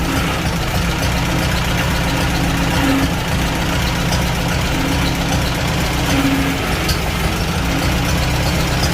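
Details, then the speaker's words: Farmall Super A vintage tractor with Marvel-style carburetor, the day after its first start, after fixing a problem where it died when given throttle: steady, even idle, constant low rumble, no governor surging or hunting; now runs smoothly. "so as you see in here sounds much better a lot smoother no more surging with the governor sounds pretty good"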